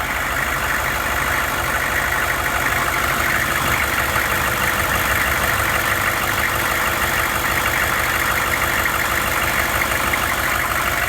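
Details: 2001 Hummer H1 diesel just after fuel filter replacement, lift pump cycled and filter bled: even, steady diesel clatter at idle with no misses or surging. Normal idle.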